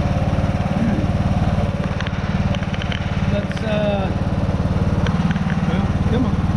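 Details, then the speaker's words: Craftsman T110 riding mower after a tune-up (oil, plug, air filter, new blades, original deck belt), blades engaged: a steady single-cylinder drone with an extra whirring whine. Abnormal deck noise under blade load; owner suspects a worn spindle or idler bearing. "that was way too loud i don't know if y'all i'm pretty sure y'all can hear that extra noise there that sounds like one of these bearings has gone either the spindles themselves or one of the idler bearings"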